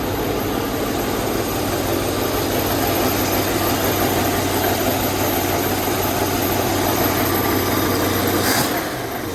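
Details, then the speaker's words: 1965 Ford Mustang coupe with swapped 289 or 302 V8 (owner suspects 289), just after a true cold start following a week unused: even, steady idle with a low rumble and no misses, ticks or knocks; smells of old gas. "like old gas yeah it doesn't sound too bad back here either"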